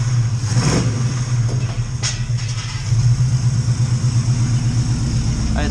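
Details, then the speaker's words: Oldsmobile Cutlass V8 just after Edelbrock carburetor rebuild, untuned, good oil pressure and still warming: low, lumpy rumble with uneven loping beat and a few pops as it revs; rough running, awaiting proper tuning with a vacuum gauge. "recycling a little rough right now i have a little trouble shooting it i'm doing everything that i've seen on the uh on youtube videos that i've watched and uh this is the best i can get it running right now"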